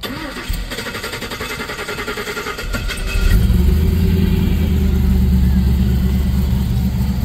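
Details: 1972 Monte Carlo with LS swap, after electrical and parts issues fixed: short crank, then V8 catches and settles into a deep, steady, even idle with no knocks or misses; healthy.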